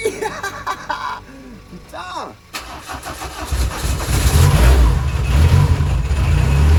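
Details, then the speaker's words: Peugeot 205 after engine replacement following a broken camshaft, first start: catches, then revs sag and hunt unevenly before rising; will not hold idle. "bon ça tient pas le ralenti mais on s'en bat les couilles"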